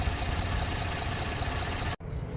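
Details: Ford Explorer EcoBoost, warmed up, after cheap fix of worm-gear clamps and exhaust wrap on rattling mid-pipes: steady, even idle with a low rumble and the exhaust rattle completely gone.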